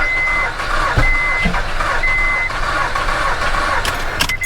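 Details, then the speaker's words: Car that would not turn over, battery tested with plenty of power: strong, even cranking under a repeating chime, briefly fires then fails to run; timing jump and compression to be checked; cranks but will not start. "well it wanted to do something there let's i heard it i felt it fire"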